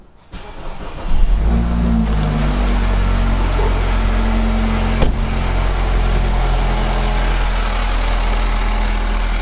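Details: BMW F30/F31/F32/F33/F34/F36 (320i/328i/420i/428i) turbo petrol engine at higher miles: it starts and idles with a loose, light metallic rattle over a low hum, caused by a rattling turbo wastegate.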